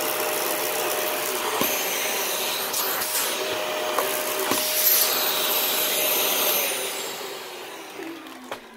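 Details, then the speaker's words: Dyson DC41 Animal Complete (2013) vacuum: even motor roar with a steady tone and faint repeating ticks about three per second, then winding down; brush roll noise persists, needs taking apart and cleaning again. "the brushful noise that i commented on is still happening so now we gotta pull this thing apart again and clean"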